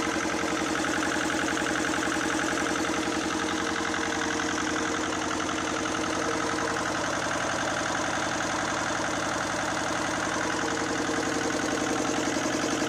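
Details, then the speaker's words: 1979 Lister ST2 twin diesel from a light tower, after fuel bleeding, a new filter, a throttle adjustment and refitting the rocker covers. A slow, even thump at about 220 beats a minute with no misses or knocks; it runs like a watch. Normal idle. "I adjusted the throttle back to see if I can get the thing to idle and got the covers back on let's see what this thing does"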